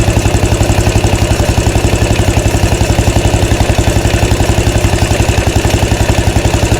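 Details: 2013 Royal Enfield Classic 500 single, freshly rebuilt after teardown to remove stray M5x35 bolts: decompressor noise gone, steady idle near two beats a second with an oscillating rattle rising and falling; oil level okay, tappets and rockers to be checked, source unclear.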